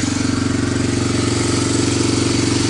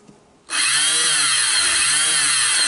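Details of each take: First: Barn-find Honda TRX250 parts ATV, first run after refitting the carburetor, checking oil and using a portable CDI: steady, even single-cylinder idle with no misses or knocks, exhaust hot; runs cleanly. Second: Barn-find Honda TRX250 ATV parts donor, engine not locked: electric starter given power spins with a high free whine but doesn't turn the engine; owner suspects starter gears missing; starter spinning without engaging.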